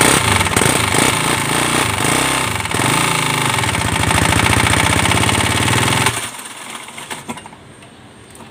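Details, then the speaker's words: Modified Yamaha Aerox 155 scooter with rebuilt engine and 64 mm piston, previously would not start: harsh loud clattering knock about four per second that suddenly dies; engine appears locked from internal damage, suspected, not confirmed. "แต่ว่าเครื่องมันดังนะครับผมพอเครื่องมันดังเสร็จเนี่ยมันก็จะไปต่อไม่ได้เลยนะครับ"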